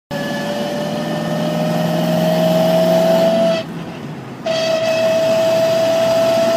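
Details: Corvette C5 under way: a steady mid-pitched whine over road noise that varies with road speed, not engine rpm. Louder when lightly touching the pedal and quieter at full throttle. Rear diff already replaced and transmission oil analysed as okay; cause unknown.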